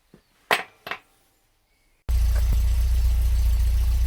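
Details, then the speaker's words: MG MGB GT engine after adjusting loose valve clearances, old rocker cover gasket refitted: steady low idle rumble with faint irregular beat, more consistent and smoother than before but still not perfectly even. "I think that's actually a little bit better that seems more consistent still getting quite a little not sure what that is actually"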